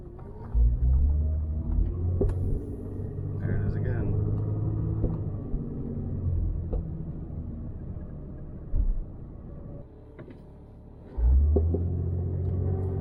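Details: Jeep XJ cabin while driving: road rumble with a few sharp, isolated pops every few seconds. The owner suspects suspension, perhaps a worn control arm bolt hole; the source is not yet found.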